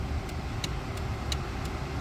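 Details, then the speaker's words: Range Rover Classic that broke down at 25,000 miles and sat 10 years, key-on after rewiring: crisp even ticks about three per second over quiet background; flasher relay working normally. "Sweet, that was my flasher relay that was going. This is awesome."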